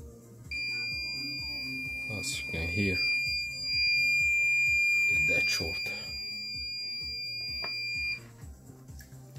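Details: Onkyo TX-NR616 receiver that turns on and off, rear channel amplifier output transistor tested with meter: one unbroken high beep about eight seconds, a dead short, transistor blown.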